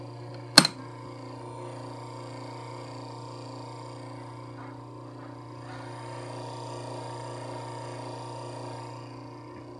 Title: [ARE YOU KIDDING ME!?] My Camel CDF 1616C Had Rattling Noise Even It’s Brand New